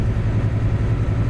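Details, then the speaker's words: Truck diesel engine under way after an exhaust leak repair: a steady, even, quiet low drone with good power. The squealing leak heard on earlier days is gone; healthy normal running. "got good power I have no more exhaust leak so far yet anyways as far as I can tell and you guys can probably hear that it's nice and quiet"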